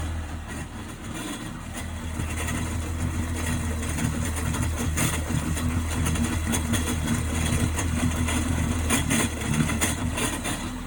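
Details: 1998 Sea-Doo GS 720 two-stroke personal watercraft: uneven idle with an irregular rattling tick about three per second over the low drone; owner asking what the strange noise is, source unknown.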